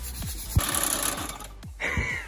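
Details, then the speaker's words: Untested 49cc two-stroke mini moto engine, which had blown water out of the spark plug hole on a test and is due for a rebuild with a DR200 crank. It catches with a buzzy, uneven crackle, fires briefly, then sputters; it starts and runs. "She runs. Do it again. Do it again. Do it again."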